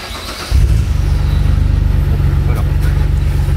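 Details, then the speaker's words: Car with Apexi commander knock monitor, starting engine: short crank with sharp starter clack, then low steady idle; noisy starter cranking, its clack read as knock, which can spike the knock reading above 100. "Et juste le claquement du démarreur, en fait, ça lui faisait prendre un clic à plus de 100."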